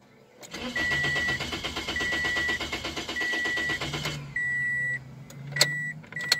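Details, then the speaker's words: 2006 Toyota Corolla S with a scan tool watching crank-sensor RPM: starter cranks steadily about three and a half seconds without firing, then dash chimes; reading drops out intermittently, crank no-start from a faulty crankshaft position sensor. "see now it's working but still won't run that's the way it should be register me stop it crank it again so we got a bad crank position sensor"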